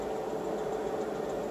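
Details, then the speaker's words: Inverter on a DIY 18650 7s 29.4V power wall under heavy draw, with about 45A through the shunt near the low-voltage limit: a steady, coarse buzz over a constant mid hum as it struggles to up-convert from 20V, which is normal. "really starts to buzz which is normal because it's struggling to upconvert 20 volts"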